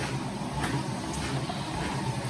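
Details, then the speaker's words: Precor C964i commercial treadmill with only light domestic use, running after quick start with the belt tracking smoothly. A low, even hum with a soft steady rumble and no knocks or squeals; the belt and motor sound quiet and healthy. "i'm going to pop off it in a minute so you can see how quiet that is you see the belt's kind of tracking smoothly along there"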